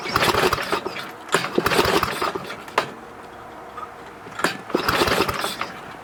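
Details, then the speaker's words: Snowflite snowblower, first hand pull-start attempt outside with oil slightly low: repeated short pull-cord cranking, engine never fires; no start because ignition key was off. "probably start probably would start better if i had the key on"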